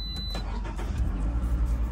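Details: 2009–2012 Toyota RAV4 four-cylinder after replacing crankshaft position sensor for code P0335 and clearing it: short crank catches quickly, settles into even, steady idle with no misfire or stumble; fixed.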